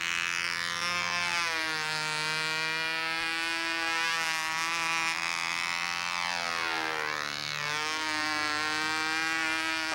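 A high steady buzz that rises and falls smoothly as the plane swings round, with no sag or misfire; the engine holds its tune well.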